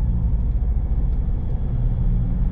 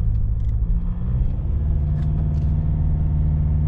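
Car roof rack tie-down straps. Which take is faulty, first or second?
second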